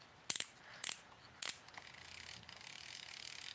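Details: IFishband Clamber baitcasting reel: a few sharp loud clicks, then only faint fast ticking as the drag is tightened; owner suspects the thin pad between the clicker pieces wore down from slippage.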